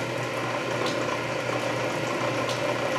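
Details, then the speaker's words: Canedy Otto drill press with re-laced belts in back gear, lowest speed estimated about 60 RPM, for drilling a large hole; even unhurried gear whir and steady low hum, no knocks — normal low-speed operation. "and that's about as slow as she goes ladies and gentlemen I would estimate that to me maybe 60 RPM or so"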